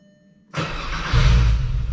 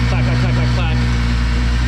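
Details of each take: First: 12v VR6 Jetta wagon after engine refresh, pulling out to drive home: short crank, uneven lumpy idle with a thump, stalls and restarts; fuel smell noticed, cause unclear. Engine stalling. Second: 12v VR6 Jetta wagon idling after engine refresh with timing and maintenance done: smooth, even, low-pitched idle, no misses, knocks or ticks, no chain noise anymore; much better than before. Normal idle.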